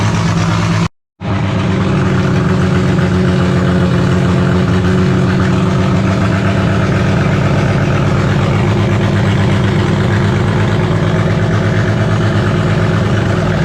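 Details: Holden grey motor six with triple Stromberg carbs in a HAMB dragster, during carb synch: loud, choppy, loping idle; the large-overlap cam makes it hate idling below about 1600 rpm, pumping raw fuel out the exhaust.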